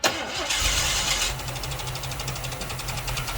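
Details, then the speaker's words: Ruby's first start, missing much of its front wiring harness, with 12 V fed to the coil and a push-button start: brief crank, then an even, very quiet run with steady rhythm, no knocks or misses; it later backfires. "it runs it's really really quiet like unbelievably quiet"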